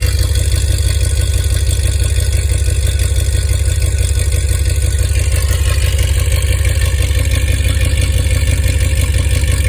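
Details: 2005 Dodge Ram 2500 5.7 Hemi V8 with long-tube headers and tractor muffler at idle: loud deep exhaust lopes unevenly, stumbling about three times a second; misfire from a bad coil pack, before coil pack replacement.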